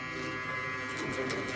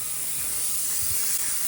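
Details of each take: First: Tormach CNC mill, newly installed fogless coolant mister: its solenoid valve gives a loud steady electrical buzz with a harsh edge when coolant is switched on, because the solenoid is wired to the wrong terminals. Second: Tormach CNC mill with newly installed SST fogless Lube Cube coolant mister, running air only at about 25 psi: steady soft airy hiss, even flow, no sputter or pulsing. Normal low-pressure air blast.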